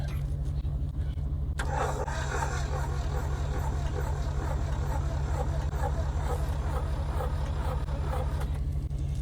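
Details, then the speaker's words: 1981 Chevrolet Chevette, cranking a little better on good connection: steady starter churn about three pulses a second, low drone, never catches; varnish smell, no accelerator pump; owner plans spark check. "I mean, she's cranking over a little better, but Woo! I smell that varnish."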